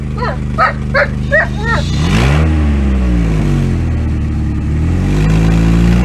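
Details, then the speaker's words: 1998 Pontiac Sunfire with worn factory muffler due for replacement with an OEM Walker unit: dog barks at first, then a deep, loud, boomy exhaust drone swells with the revs; tired, blown-out muffler. "so muffler needs to be replaced and I think we are just doing an OEM up worth today"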